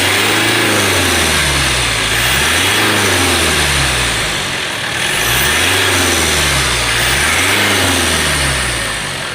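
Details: All New Mitsubishi Pajero Sport diesel revved to 2000 rpm and released, rough rattling vibration as revs drop, first suspected turbo; noise vanished with fan belt removed, failing alternator.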